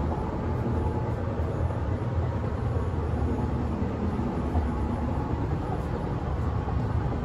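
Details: Berlin S-Bahn class 485 unit 485 112-7, built 1991, onboard at running speed between Schönfließ and Hohen Neuendorf on the S8: heavy low rumble and rattle from a severe wheel flat spot.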